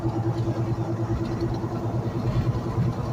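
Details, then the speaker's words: 2006 GMC Yukon, flood-damaged, rolling forward with vibration in the steering wheel: low steady droning hum with a faint rhythmic wobble; a front sealed-unit wheel bearing suspected locked up, confirmed as wheel bearing noise. "I'm suspecting that the wheel bearings one of the wheel bearings in the front is locked up you'll hear it right here start kicking in it"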